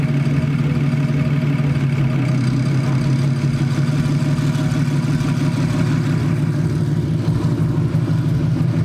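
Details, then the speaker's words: 1949 Ford body-swapped BMW, single Garrett turbo, Motiv Reflex Plus controller with new tune, first start: catches and settles into steady, low, even idle without raised cold-start revs; owner suspects cold start turned off. "So it runs, that's good. But it almost sounds like I turned off the cold start because this is a really mild start."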